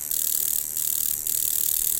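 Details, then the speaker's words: Coil tattoo machine at about four volts, out of tune: sharp, high-pitched harsh rasping buzz instead of a smooth hum; the armature hits too hard, needing retuning of spring tension and angle. "so see that it's out of tune the minute i change the angle that sounds different the sound is very very harsh and it's actually quite strong the hit is really strong"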